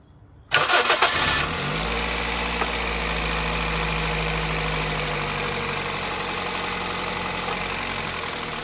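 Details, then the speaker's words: 2006 Toyota Corolla with rough idle and vibration, after replacing the faulty number one ignition coil: cranks and catches at once, settles into steady even idle with no misfire or stumble; runs healthy. "Guys kung mapapansin niyo is tumining na so confirm na natin na ignition coil lang yung sira"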